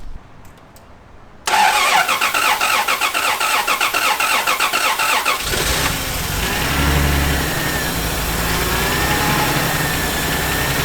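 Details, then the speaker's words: Neglected Toyota started cold with ether start spray: cranks briefly, catches and settles into an even, slightly fast cold idle with no knocks or misses; normal cold start. "How good? And the motor sounds good."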